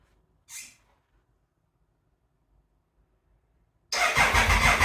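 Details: Triumph Thunderbird bought as a non-runner, first start attempt after sprag clutch repair and engine reinstall, no coolant, around 45–50°F: about a second of steady starter cranking at roughly three pulses per second with no firing; cranks but won't start.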